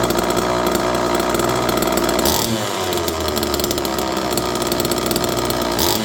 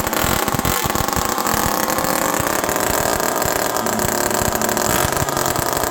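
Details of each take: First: Homelite Super Mini two-stroke chainsaw in cold weather, no choke, manual decompressor used, extra fuel added: catches and revs up and down cleanly with crisp steady exhaust; runs perfectly, kill switch works. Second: Homelite Super Mini two-stroke chainsaw run outdoors in the cold with the low jet 1.5 turns out: loud, raspy, unmuffled scream held at steady high revs that never drops back to idle; probable air leak suspected.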